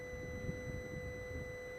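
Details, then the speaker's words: 2015 Mercedes CLA 220d transmission coolant pump (P2753 fault) powered directly through an ammeter: faint steady electric hum with a thin constant high tone, drawing 0.7–0.8 A and starting a couple of seconds after voltage is applied; running normally. "there we go pump is running 0.7 amps"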